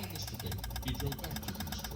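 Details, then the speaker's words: 2016 Honda HR-V, replacement engine fitted after head gasket failure and 3 years sitting, no crank: pressing start gives fast, even clicking, about a dozen a second, with no cranking, suspected to come from the G101 engine ground. "we got we got some power system issues stuff going on. >> Um, if you can really hear that, all that wild clicking and then uh,"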